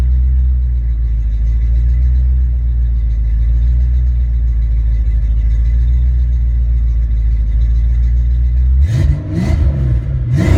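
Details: Ford Mustang mass-air engine test run after A9P ECU repair/exchange: after coming down to closed-loop idle around 800-900 rpm, quick blips climb cleanly without breakups; healthy engine, normal rev.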